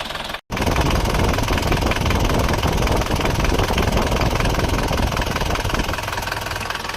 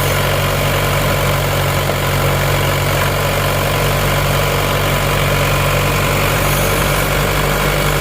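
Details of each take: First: Isuzu Panther diesel from Kras, Kediri, at cold start with thin smoke; owner finds it rougher than before; a loose, uneven tek-tek clatter about three per second over the rumble, from pistons striking the cylinder walls; piston slap. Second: Isuzu Panther diesel after cylinder liners replaced to cure a knocking noise, warmed to operating temperature; nozzles 2 and 3 still leaking, not yet fixed; steady, even low rumble with no knock or miss, minimal smoke; normal idle.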